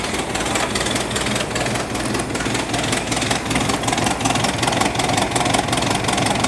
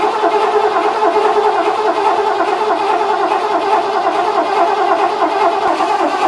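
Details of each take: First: 1986 Ford F-150 running after a carburetor swap in cold, snowy weather. The idle is uneven and lumpy, with irregular pulses about two or three per second, and it stumbles. The carb needs adjustment; the owner suspects the original fault was fuel delivery from the tank. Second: 1986 Ford F-150, ignition off, cranked after an overnight battery charge during a carburetor swap to build fuel pressure; steady starter whir with an even compression beat and no firing, normal cranking.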